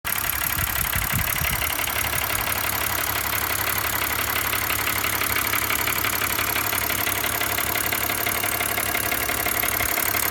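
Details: 2005 BMW 325i M56 at idle: steady idle with a fast, even metallic rattle on top, about three beats a second; engine rattle, source not yet pinned down.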